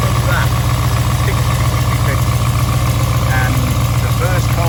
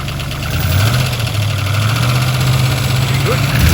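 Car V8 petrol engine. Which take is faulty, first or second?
first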